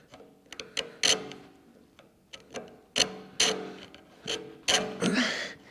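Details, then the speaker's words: New Creworks 8x16 Chinese mini metal lathe, days after unboxing, gears turned by hand: uneven ticking and ratcheting with sharp catching clicks at one spot where teeth hit a small welded seam; weld to be filed down. "it's catching in there's a welded seam right here so I might have to file some of that down"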